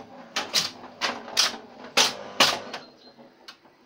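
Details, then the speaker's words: 1970 Bally See Saw pinball, German version without bells, fully overhauled: crisp bursts of rapid mechanical clacks as score reels count; normal score reel operation. "I really like this old school counting here with the score reels. This is just cool. The sound, the noise. It's great."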